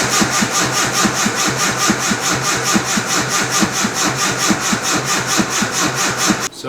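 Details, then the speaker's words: Nissan S13 240SX with turbo and a newly installed aftermarket ECU, cranking: starter turns steadily at about two even compression beats per second, never fires. Tuner software shows no engine speed; later found to have no spark, with a coil wiring fault suspected. Crank, no start. "we've got no engine speed so we're going to have to figure out why"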